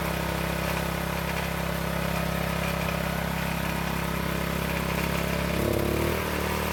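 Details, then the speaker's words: County Line tiller small single-cylinder engine that wouldn't start after storage with ethanol gas, now on fresh 100% gas: holds a steady, even putter with a brief pickup near the end; runs smoothly. "So it took a couple of pulls to start up, but it seems to run very well."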